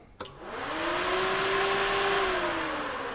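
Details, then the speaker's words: Hydraulic Power Plus hydraulic power pack, daily precheck: the cooling fan, which should be running when above freezing, spins up and holds a steady, even whir with no rubbing or rattle, running normally. "Make sure the fan is running if you're above freezing temperature."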